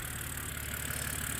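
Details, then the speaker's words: BMW E89 Z4 3.0 N52 straight-six (40,000 miles) warm idle after a stuck timing chain tensioner was replaced; no leak at the tensioner. Smooth, even steady low hum with no knocks, ticks or rattles; healthy. "oh that's a lovely engine I do like that especially compared with the n63 which is a a bag of spanners and a few Nails jangling around"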